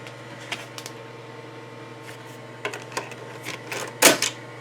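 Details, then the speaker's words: 1991 Macintosh Classic, about 27 years old, after logic board recap, floppy disk inserted: quiet hum with sharp irregular clicks and whirring bursts as the head steps; floppy drive reading normally. "it's reading it it's breathing oh my god"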